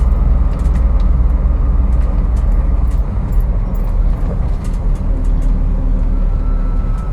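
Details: 2001 Jeep TJ: faint thin whine riding above the engine rumble, rising toward the end, starting randomly and correlated to RPM; source not pinned down.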